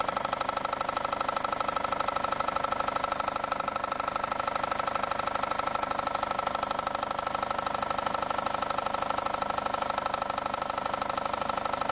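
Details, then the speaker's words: Idling engine with a deep, even knock about three times a second from the bottom of the engine; another shop diagnosed rod knock and an engine replacement, but the actual cause was a failed crankshaft pulley/harmonic balancer. "Now to answer the question, the failure on this one is the crankshaft pulley/harmonic balancer which I'm taking off now."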